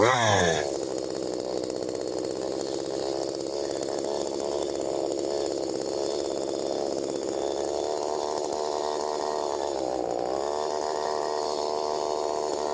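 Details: STIHL MS 192T chainsaw after primer fix, before carb adjustment: barks up then holds high steady buzz instead of slow idle, chain spinning; idle set too high, fixed by adjusting high, low and idle screws.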